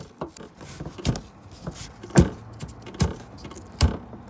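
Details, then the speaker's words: BMW F30: irregular hollow clunks and light rattles, audible in the cabin, from the windshield washer fluid reservoir knocking its frame. One of its two foam anti-rattle pads is missing. Fixed by wedging in a foam pad with double-sided tape. "can be heard through the cabin it's so annoying so the only thing that prevents that noise is two foam pads now one is missing"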